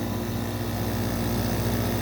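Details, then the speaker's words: Circa-1970 6K Climatrol window air conditioner (made by Fedders) with rotary compressor: steady, even low hum with faint fan rush and no knocking or rattling; compressor runs smoothly, unit is a bit loud but that noise is not the compressor. "so very smooth another case of a nice running rotorx compressor I will say it is a bit loud but getting cold it loudness is not coming from the compressor"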